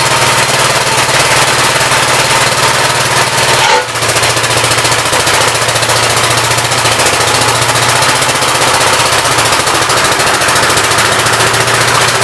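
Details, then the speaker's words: 1959 Gravely LI single-cylinder engine with a 20-over piston, oil drained was mostly water; throttle bumped up, rapid even firing holds steady with no misses or knocks, awesome oil pressure, running healthy. "yeah it runs and works pretty good it's got awesome oil pressure"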